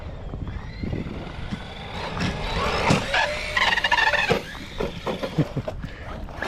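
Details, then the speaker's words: Arrma 223s RC basher truck at speed: a high, rising shriek over the motor whir as the ballooning tire expands and rubs against the body shell; tire rubbing on body. "You guys hear that shrieking noise? That's the tire expanding and rubbing against the body."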